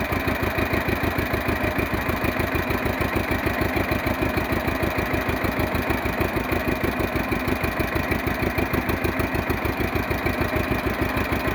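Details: 1948 John Deere B two-cylinder converted to propane with a 12 V GM distributor, in neutral after starting: slow, even putt-putt at about three beats a second, steady and smooth; normal idle.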